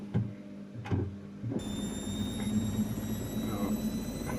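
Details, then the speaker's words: Brandt 7 kg washer (Max 1489 SF) that had been failing to spin, now spinning up progressively toward 1400 rpm: steady drum hum with faint rising motor whine, balanced load, no knocking; normal spin ramp-up. "donc on a entamé la les sorages et on va monter progressivement jusqu'à 1400 tour minute"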